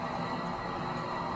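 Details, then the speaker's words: Mill City 500 g coffee roaster (North TJ066) with a newly replaced front drum bearing secured by Allen screws; the drum turns with an even, quiet hum and no squeak, so the back bearing needs no replacement yet. Normal drum rotation. "Brand new front bearing. Roaster isn't squeaking, and that means that I don't have to change out the back bearing right now."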